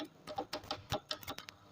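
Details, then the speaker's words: Top-load fully automatic washing machine inlet valve bench-tested on direct 220–240 V AC supply: string of sharp, dry clicks about a quarter second apart as power is applied; valve working properly. "ये एक और भी देखो, ये ये cut cut की आवाज़ आ रही है तो उसका मतलब सही है।"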